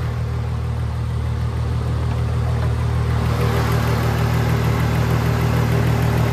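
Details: VW Jetta VR6, straight-piped, idling after first drive, after the earlier loud head noise: steady even idle, smooth low hum, no top-end ticking; normal idle.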